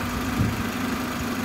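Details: Car at idle after a workshop repair of a knocking/squeaking noise, in rain: smooth, steady idle hum with no knocking or squeaking. Earlier noises on this side now seem gone; a test drive is to confirm.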